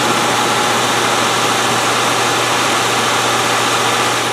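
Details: Steady, even engine note and constant low hum with no misses or knocks on a 1997 Land Rover Discovery 1, first start after fixing a key no-start with a soldered starter wire connection: normal running.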